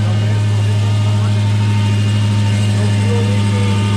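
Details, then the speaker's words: 2019 Dodge Charger Hellcat V8 idling after installing an E85 flex fuel kit, checked for leaks: deep, steady, even low rumble, no misses, knocks or ticks; runs well, no leaks seen. "Seems like it started up nice. Seems like it's running good."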